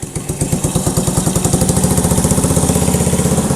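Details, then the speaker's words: 1985 Honda ATC110 three-wheeler abandoned in a field, brake fluid sprayed down intake: small single chugs unevenly about four pulses a second, surging on choke and barely staying lit; owner suspects gummed-up carb. "Come on. I bet that carb is gummed up on the inside."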